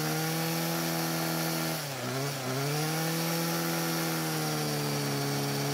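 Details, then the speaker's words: Old Homelite string trimmer that had quit mid-use and wouldn't restart, now running after priming the bulb: steady high buzz dips briefly as throttle eases, then climbs back clean; idles and revs fine, L screw left unadjusted; normal running. "So the engine started and ran very well, which is great news. Now, since it idled up and revved just fine, I didn't feel the need to adjust the L screw, which is the one closer to the engine."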